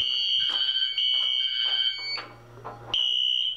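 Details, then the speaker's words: Fire alarm test with Wheelock horns and strobes on Wheelock sync plus an MT4 horn: shrill horn blasts overlap and stutter out of step; alarm horns not synchronized. "even though i have both knacks on wheelock sink both of those strobes do not sink nor does the horn on that one and the horn on the mt4 sink so this system is not going to be synced"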